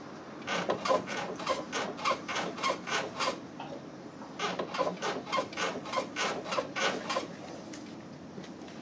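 Repeated rubbing creaks about three a second in bursts, rising and falling with the body's movement, a dry suspension creak. Cause suspected, not confirmed.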